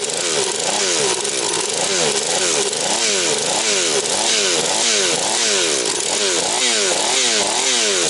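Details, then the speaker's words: Husqvarna 240 chainsaw, mixture leaned to 2 and 1.75 turns, idle raised: sharp snarl in quick regular rev cycles, fast pickup and drop, no air leak. Normal running. "Ну що вам скажу Люкс пішла як годинничок значить набір обертів скид швидкий Все як має бути підсмоктування повітря нема Ну думаю буде працювати"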